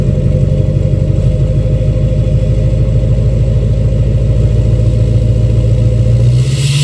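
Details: 2006 Chevy Silverado LBZ Duramax diesel, revved in neutral with new 5-inch straight pipe, flow-through muffler and DSP5 tune; rumble climbs smoothly each blip with rising turbo whistle fading cleanly; healthy free revs and turbo spool.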